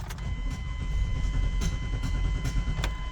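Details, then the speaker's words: 1999 Chevrolet Tahoe 5.7 that hesitated and then died while idling. Slow, even cranking with a rhythmic pulse and a faint starter whine that never fires on a weak battery; owner suspects the distributor, new distributor cap pending. "I can't crank it much because I'm living on battery. My neighbor and friend is coming with a new distributor cap, which will go outside and we'll show you where that is, just in case you don't know. But we have no start."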